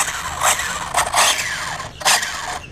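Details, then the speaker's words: Dromida 1/18 brushless monster truck after hard running: short bursts of shrill whirring with a rough, gritty edge on each throttle blip; damaged spur gear slipping against the pinion. "like I got something going on with a spur gear so left to tear this down have a listen to it cuz that doesn't sound good"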